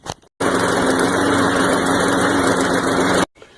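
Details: Craftsman push mower with Briggs & Stratton 6.5 HP engine after carb cleaning, tune-up and clearing an obstructed exhaust part, previously hard or no start: steady, even buzz with no misses or surging, clean start and crisp shutoff; running healthy.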